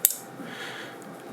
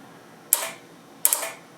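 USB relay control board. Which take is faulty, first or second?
second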